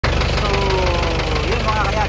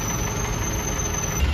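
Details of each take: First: Isuzu 4BE1 diesel: idle clatter with a loose, uneven knock about three times a second riding over it; worn piston pin bushings. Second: Isuzu 4BE1 diesel truck after overhaul and injector replacement, idle raised: steady, even low diesel rumble with no knocks or rattles; engine sound fixed, running normally and ready to drive.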